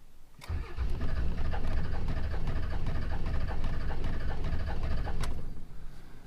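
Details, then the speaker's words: Salvaged Dodge Cummins diesel after cam position sensor replacement: long crank with uneven puffing pops and a knock about three a second, never starts; codes P2509, P0341; owner wonders about injection too early (pre-detonation, white smoke) but doubts it. "It would make sense for that, what almost sounded like a pre-detonation, for that knock, and then it would make sense for the white smoke."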